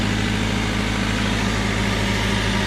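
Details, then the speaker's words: 1998 Honda Civic sedan, swapped engine that sat about a year, idling right after its first start: steady, even idle rumble with smooth firing rhythm, no knocks or misses; running fine. "There it is. She's alive. Look at that. Woo-hoo. Right away."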